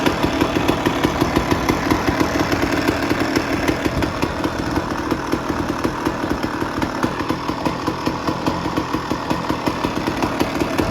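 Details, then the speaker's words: 2001 Honda CR250 two-stroke after clutch basket replacement, idling on temporary 10W30 oil to flush out sand and metal particles. Crisp, even popping at a steady idle with no clutch-side rattle; sounds like a normal idle. "Um, but it's just going to idle and it's going to get all the oil in in the places and it's going to get some of that sand and some of that hopefully more metal metal particles left over from the incident and it's going to dump it right out."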